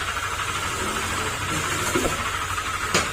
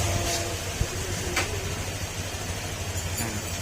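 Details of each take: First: Honda Click 125 scooter, 46,626 km, at idle before repair: harsh, uneven knocking with sharp raps over engine hum; mechanic attributes it to crankshaft/bottom end, possibly damaging block, engine to be torn down. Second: Honda Click 125 scooter at 46,626 km after engine teardown and rebuild for crankshaft noise, new block, still in break-in: steady, quiet, even low idle with no ticking or knocking; repaired and healthy.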